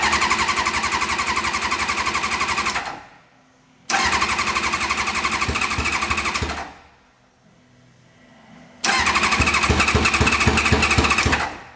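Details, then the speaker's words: Reliant Rialto with Kawasaki ZX6R motorbike engine swap, new battery fitted, on choke: three cranking bursts of about three seconds each, starter spinning briskly and evenly but never catching; no start, owner 99% sure it has run out of fuel. "I think we run out of fuel yeah I'm 99% sure I've run out of fuel"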